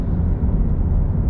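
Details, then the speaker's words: FRS/BRZ/86 with automatic engine converted to manual, equal-length headers, two resonators, driving: deep even exhaust rumble, sporty track-car sound, no ticking, puffing or rasp from a leak; healthy engine and exhaust. "so yeah e for life it sounds more like a sports car a track car than just like a score whatever"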